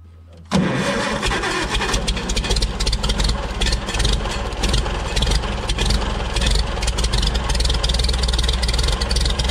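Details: Farmall Super C tractor, points ignition, no-start fixed by adjusting the breaker points: engine kicks over sharply and settles into a steady, strong chug without misses.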